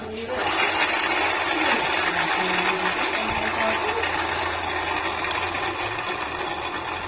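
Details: Honda Beat FI scooter with the crankcase open and the wheel spun by hand: rough gritty grinding with a fast uneven rattle; excessive play from a crushed transmission bearing.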